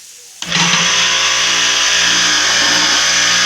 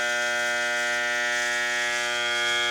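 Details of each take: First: Pressure washer electric motor running after capacitor replacement, spray gun opened first so it doesn't run dry, cooling fan turning: steady even hum with bright fan whoosh, no growl or stalling; normal running. A humming motor that won't start points to the capacitor. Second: High-pressure washer motor, recorded at the fan: steady electrical buzzing hum with no spin-up, motor energized but not turning; cause is a burned start capacitor, and leaving it like this may burn the motor. Motor hums but fails to start.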